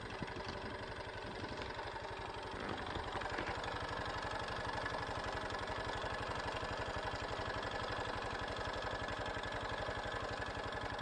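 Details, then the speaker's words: Honda Super Cub JA07 idling after suddenly turning noisy: crisp, even tick about four per second over the exhaust beat; the owner says it never made this sound before, cause not yet found. "急にバタバタうるさくなったもん。そんなカタカタ音がせんかったような気がするんよね。やっぱりこんな音しよらんかった。"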